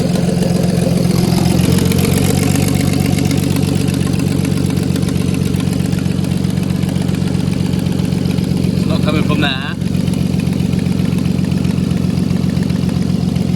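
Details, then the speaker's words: MK5 VW Golf R32 Turbo, hot engine, exhaust manifold refitted without a new gasket: quick, sharp ticking puff over the idle; exhaust leak between head and manifold. "So it sounds like it's coming from the exhaust, between the head and the exhaust down here."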